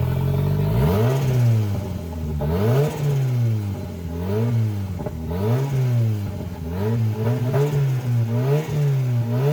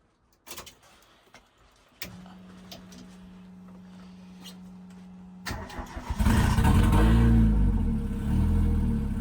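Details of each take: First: CA18DET-swapped JDM Mazda Miata, first start-up, filmed near the turbo: revs surge and sag every second or two as throttle is worked, never settling to steady idle; vacuum leak causing poor idle. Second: CA18DET-swapped JDM Mazda Miata cold start after vacuum line fixes and idle adjustment: a few clicks, short whirring crank, catches at once and revs up cleanly; cold start problem solved, normal cold start.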